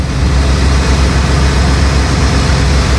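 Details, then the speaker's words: Bayliner cabin cruiser MerCruiser inboard after months laid up, idling while helm is turned: steady deep rumble never dips; engine and power steering working normally. "power steering is working nice"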